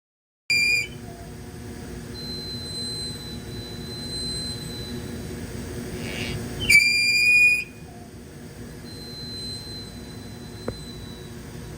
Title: Mickey Wrapper Squeaky Sound.